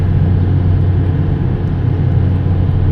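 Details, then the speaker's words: Hitachi EX200LC-5 excavator diesel at wide-open throttle, about 20 years with one owner: steady deep even drone, no knocks or misses, very quiet, later found to be in economy mode. "This thing is super quiet."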